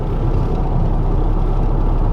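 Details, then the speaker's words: 2012 Ford F150 3.5L EcoBoost twin-turbo FX4 (stolen, brakes rusty) cruising at about 50 mph: heavy, steady low rumble and vibration drone under the truck; cause suspected, not confirmed. "wow that vibrations that's pretty bad that is you can hear it hell we're going 50"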